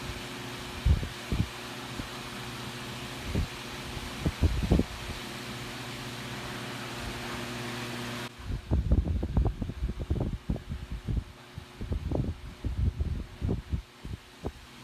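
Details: Vintage Vornado A12D1-10 desk fan, freshly oiled, running on low: low, even steady hum with some handling knocks around it; fan runs smooth and healthy.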